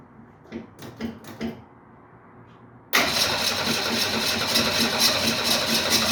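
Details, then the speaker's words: 1968 Ford Mustang, fuel gauge just above empty, cranks on the starter with a rhythmic beat but never catches and runs; owner wonders if it's not pulling gas from the tank and plans to prime the fuel pump. "so close i think i'm going to take a break i don't want to burn up the starter"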